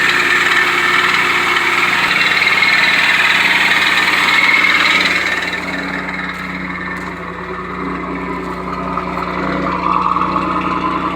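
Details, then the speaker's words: 1991 Pontiac Firebird 3.1 V6 idling before repair: raspy whirring hiss over the engine with steady rhythmic chatter from the worn, loose, failing smog (air injection) pump. "So if your smog's going out, that's the noise it's going to cause."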